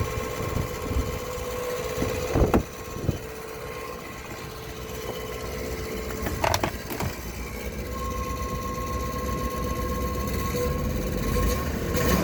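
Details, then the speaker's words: 2007 Dodge Ram 1500 5.7 Hemi, 140,000 km, idling via remote start, recorded from the garage: loud steady high-pitched transmission whine audible two blocks away; starter bench-tested fine, no leaks or rubbing found, cause unknown. "anyway this transmission is whining it's incredibly loud"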